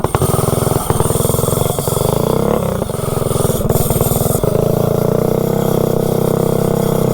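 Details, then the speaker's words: Predator 224-powered GTS minibike with $17 generic 16-tooth centrifugal clutch, road test uphill; engine drones at high steady revs, clutch slips and throws sparks instead of gripping: centrifugal clutch slipping. "yeah now you can hear it slip when you get on it you can see it throwing Sparks out of the clutch"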